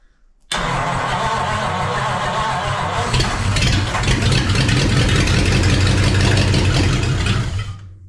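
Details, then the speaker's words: 1940 Ford flathead sitting since the late 1970s, first start with choke shut, fuel in the carb and no exhaust manifold on the right side: it cranks a few seconds, then catches and runs loud, even and unmuffled. "wow that's awesome it runs"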